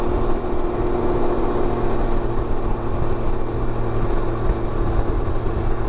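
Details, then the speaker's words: 2019 Can-Am Ryker Rally at idle during diagnosis for CANbus VSS and low-voltage codes: light, fast clatter from the top end over the exhaust drone, more tappet noise than usual; suspected lifter noise, possibly from the oil used, not confirmed. "I hear some little bit of lifter noise when it's idling."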